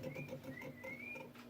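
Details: Kenmore refrigerator model 795.69299.901 with the fridge dripping water from the top: quick steady ticking with a wavering high whistle from the freezer evaporator fan; noisy fan, cause not pinned down.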